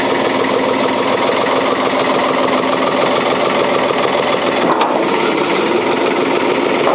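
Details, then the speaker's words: 1977 Ford 555 backhoe diesel, first start in over 2 years on old diesel: even low-idle clatter about three and a half beats a second while warming up, no knocks or misses; healthy idle. "She's a runner. Let it warm up. Keep it nice and low."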